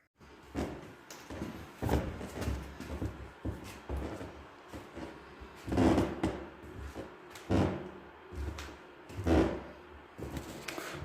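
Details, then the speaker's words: Wooden plank floor covered with plywood: dull footsteps with short dry creaks; the squeak had stopped after screwing and wedging the boards but returned after the plywood went down, and applying PVA glue did not help. "вот скрипит пол сегодня я промазал это клеем pva посчитал что может быть склеится там где-то про мажется и не будет скрипеть"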